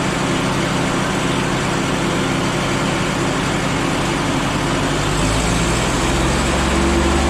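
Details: Cheap forklift engine idling after a muffler is fitted: an even, moderate idle with a smooth low rumble and no open-pipe bark, much quieter than before.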